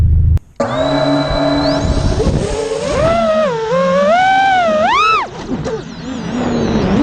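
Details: Quadcopter drone after replacing two failing ESCs with DYS 35A units: smooth, crisp whining motor tones rising and falling with throttle, no rattle, buzzing or vibration in the carbon frame; clean, healthy hover now reaching full power.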